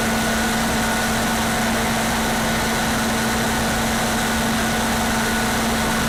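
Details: Older standby generator, one of the newer older units, with its muffler still on, running with no load during a pre-storm test: loud, steady drone holding one constant hum, no surging or hunting; running smoothly and evenly.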